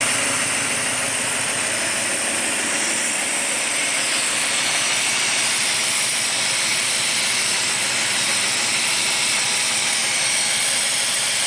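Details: 1985 Mercedes-Benz 380SL idling with a loud steady hiss from a major vacuum leak at the rear and driver's side of the fuel distributor, apparently under the air metering manifold; cause unknown.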